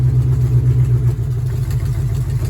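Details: Dodge Charger big-block Mopar V8 with newly installed MSD 6AL box and repaired factory distributor, rev limiter set at 2,000 rpm, timing slightly advanced: deep, even idle after dropping into gear, no stumble or stalling.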